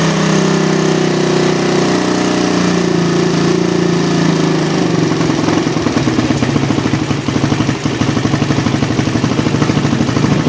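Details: Single-cylinder motorcycle with a PE28 carburetor rejetted (pilot and main jets only), air screw not yet set, standard exhaust with baffle partly opened: holds raised revs, then drops to an even, regular idle with no stumbling; normal revving.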